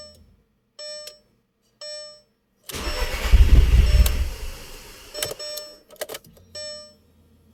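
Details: 2001 Audi TTS no start: warning chimes, then a couple of seconds of cranking that never catches and falls back to the chimes; crank-no-start.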